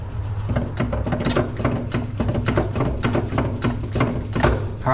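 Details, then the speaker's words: Circa 1970 fire truck, carbureted, cranked while pumping gas: uneven starter churning with rattling bursts, never catches; fuel starvation, suspected not getting fuel. "well I don't even know if we're even getting any fuel hold on let me get over in a closer here"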